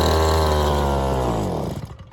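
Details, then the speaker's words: Small two-stroke engine, air filter cover back on: steady buzz on choke sags and stalls within a second or two when choke is removed; runs only on choke, lean, low-speed screw probably needs opening about another turn. "do you see that that's hilarious okay so that rad on choke that's basically saying uh i can run when you restrict a load of the air coming in but i can still get fuel"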